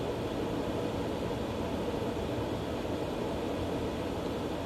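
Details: Green Mountain Grill Jim Bowie Choice pellet grill after the auger was cleaned and reassembled: the auger now turns but the motor makes a loud, constant droning hum, cause undetermined.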